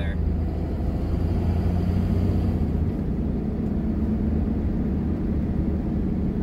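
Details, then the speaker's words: Diesel truck on a test drive just after transmission reinstallation: a steady low diesel drone with turbo hiss and no gear whine or rattle; the manual transmission is much quieter than before, almost silent. "don't know I mean it's it's way quieter than it was before like almost dead silent transmission"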